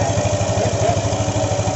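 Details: Yamaha NMAX after retightening a loose CVT front pulley nut that caused abnormal CVT noise: even, regular engine pulse with no rattle or grinding from the belt drive; normal running.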